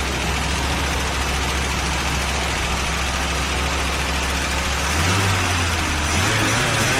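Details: 1982 Buick Regal engine running for the first time in over 25 years: an even low idle rumble, then a brief steady rise in speed, with no knocks or misses; the smoke is spilled oil on the manifolds.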